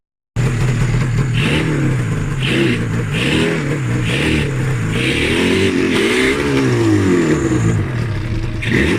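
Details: Yamaha RD350F1 two-stroke, 31K, left in a garden for decades, first start after plugs were dry: raspy revs blip up and down unevenly with hesitant pickup.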